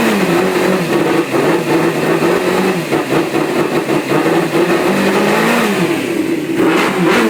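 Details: 2003 Suzuki GSXR idling with FI light and misfire codes C24–C27 for three weeks; coil sticks, plugs, ECU replaced, crank sensor gap reset to 0.030 helped only a day; uneven stumbling idle and light revs, beat dropping out every few firings, cause unknown.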